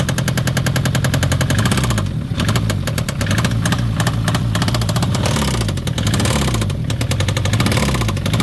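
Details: Citroen ZX 1.9 engine revs then drops to idle with a steady rhythmic knock under the running at every speed; engine knock.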